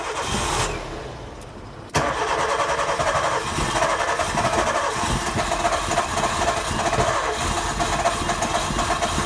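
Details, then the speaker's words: 2000 K11 Nissan Micra Sport petrol, stored for about 10 years, after the fuel tank was drained and fresh fuel added: it catches sharply, then idles lumpy and uneven with irregular pulses. It is still a rough idle with no fast idle, cause unknown. "do not rev the engine still got a problem"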